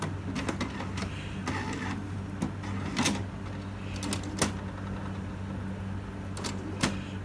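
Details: HP Smart Tank 7001 restarting after its first black ink refill: soft low motor hum with scattered clicks and short whirs as the carriage shuffles; normal printhead priming.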